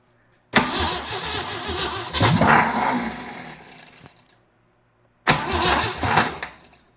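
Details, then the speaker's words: Jeep CJ7 project, no fuel in the tank and carburetor not firing: two bursts of uneven, labouring cranking that never catches, engine turning roughly without firing; oil pressure building on the gauge; rough no-start crank. "God, that sounds terrible. It's a fine unit. Let's keep trying. Huh? It wants to do something."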